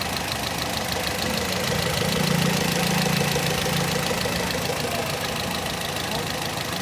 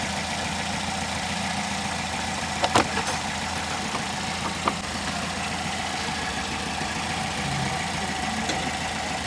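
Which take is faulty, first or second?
first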